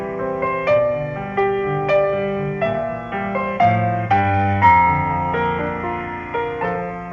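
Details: GE A-70 radio after recapping, resistor and wiring replacement, and a new cone fitted to the electrodynamic speaker that had distorted audio: clean piano music, clear and undistorted, no buzz or rattle on louder notes; speaker reproducing properly.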